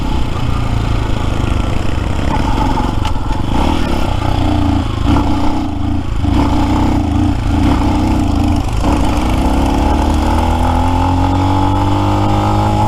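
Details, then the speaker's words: New Lifan X-Pect single, about 70 miles, full tank, labouring uphill: revs stumble and surge unevenly, hiccuping on and off instead of pulling steadily; intermittent cutting out under load, traced to valve lash out of adjustment. "I'm sure people who see me are like what the hell is he doing as this thing's hiccuping and carrying on turned on off there"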